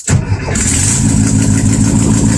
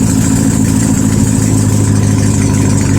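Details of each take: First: 1972 VW Super Beetle with a starting problem, after fitting an autostick starter, a hard start relay and cleaning the ignition switch plug: short starter whir, then it catches at once and settles into a steady, even idle with no clunk. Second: 1972 VW Super Beetle air-cooled flat-four, no exhaust fitted, 51°F, after starter and ignition work: loud open-pipe uneven chugging with sag, won't hold idle without throttle.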